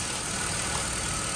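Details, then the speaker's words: BMW X5 after oil leak repair with new soft O-ring/gasket and injector rail reinstalled, first startup: even, steady idle hum with no misses, knocks or ticking; idling smooth, normal. "Smooth, smooth. Smooth."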